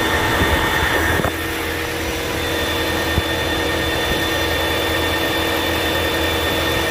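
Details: 2022 Ford Maverick Hybrid after repairing a no-crank, no-start, no-dash-lights fault caused by a snapped rear-battery power supply cable eyelet. After a brief rev the engine settles into a steady, even idle, no knocks; running normally.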